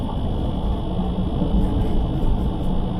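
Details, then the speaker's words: Van driving home after a service: over low road rumble, a thin steady high-pitched tone from down low, first suspected as a rattle, fan or reed switch; actually the disc lock alarm going off under the driver's seat. "Well, I've no idea what this noise is, it just came on. I don't think it's anything to do with the fan, it's coming from down there somewhere. No idea what it is, something's having a good rattle."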